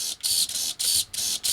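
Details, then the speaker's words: RC crawler with OMG 80 kg direct-power steering servo under load (not when lifted); sharp high gear buzz in short bursts about two a second; nearly died on tester, horrifying noises but still works. "Tell me that's not a Geiger counter. It made a series of horrifying noises that would ordinarily indicate the death of a servo"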